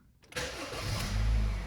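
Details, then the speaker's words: 2013 Honda Fit after the catalytic converter exhaust gasket was replaced and the flange straightened: the engine catches quickly and settles into a smooth, even low hum with a gentle rev. It is much quieter, and the exhaust sound is normal. "much quieter it's normal we're good to go"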